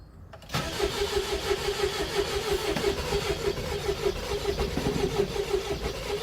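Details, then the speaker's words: 2001 Mercedes Sprinter W903 diesel, long unused as a shed, cold start with Easy Start and glow cycles, owner suspects glow plugs not working: long steady cranking about three compression beats a second, nearly catching but never firing; cause undetermined. "Nearly. Bastard. I don't know if this battery's going to survive this."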